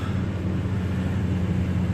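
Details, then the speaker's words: New Toyota Tundra pickup during pre-trip inspection, started from inside the cab; smooth steady low hum with even beat, no knocks or ticks, healthy idle just after starting. "okay right now but to start it okay as you can hear the truck start right there"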